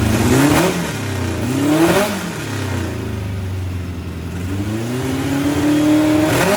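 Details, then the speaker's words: 1641cc engine with counterbalanced crankshaft, Weber IDF 44 carburetors, electronic pickup ignition without MSD: crisp clean revs rising and falling three times, strong even pulses, no misfire or knock; runs peppy and healthy. "it's a peppy really peppy it's got a counterbalance uh crankshaft so that that thing it you know it's just it rests forever and uh it sounds really good"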